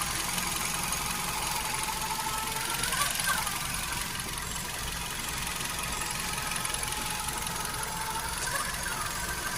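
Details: Hyundai HB20 engine at steady idle: light, fairly fast ticking with a hissy whine on top; abnormal engine noise, owner suspects timing belt, power steering fluid or a bearing, cause unconfirmed.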